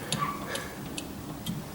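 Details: 1964 VW Beetle, disc brake conversion, rear axle turned slowly by hand, sound heard at the axle end: dry click about twice a second; spacer suspected, snap ring ruled out, cause still unknown.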